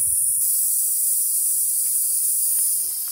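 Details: 2006 Freightliner with Detroit Series 60 14L: constant steady high-pitched hiss, no pulsing, from air escaping under the dash; after park release valve replacement the lower valve still leaks air.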